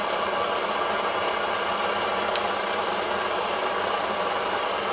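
Steady, even hissing roar with no sputter, surging or popping; the burner is running strong and clean.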